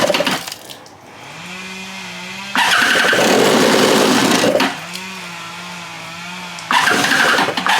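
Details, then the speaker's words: Free stand-up jet ski two-stroke on a stand after carburetor refit, fresh fuel, low/high mix screws at 1 3/8 and 1 3/4: catches and revs in ragged surges, sags to an unsteady idle, flares again; rough running. "That ran terribly. Okay, let's try again. What the heck?"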